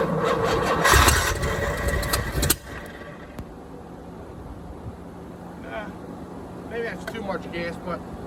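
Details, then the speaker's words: 1987 Chevrolet C4 Corvette, TPI system replaced by a marine carburetor being bottle-fed fuel: cranking and stumbling, then one sharp backfire bang about two and a half seconds in before it dies; ignition timing is off and needs readjusting. "Whoop, backfired. Yeah, I think I got it. Timing's a little off. I gotta readjust the timing."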